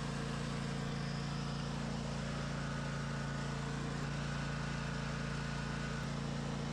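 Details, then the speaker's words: Craftsman DLT 2000 riding mower with blown Kohler Pro 20 V-twin replaced by Harbor Freight Predator 708cc engine, after rewiring: runs on the switch at constant speed with a steady, even thrum, no misses or knocks; smooth and healthy. "We have the engine connected to the switch. It starts with the switch. It runs with the switch."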